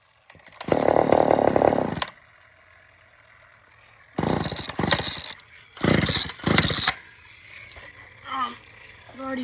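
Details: Old Sears Explorer II chainsaw that fired then died, after carburetor cleaning: fires and buzzes in short revving bursts, picking up cleanly on throttle and dropping back between blips; it runs, later odd revving as it runs out of gas.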